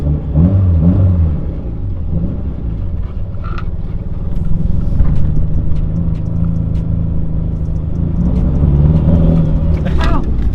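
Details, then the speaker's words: Mitsubishi Evo 8 warmed up: lumpy, uneven idle with the low rumble stumbling irregularly, a bad misfire; runs fine cold but dies once warm; cause not yet confirmed. "So as you can hear and see, my Evo is having a gnarly issue, and every time it warms up it dies. So when it's cold it runs fine, but when it warms up it dies."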